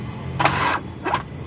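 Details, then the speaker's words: Nissan Sunny diesel towed in with a seized engine, cracked crankcase, no engine oil, battery fully charged: two short starter bursts, each stopping abruptly after a partial turn, no catch; starter cranks briefly then stalls. "गाड़ी में जो है half self ले रहा है बीच में रुक जा रहा है फिर हाफ सेल्फ ले रहा है"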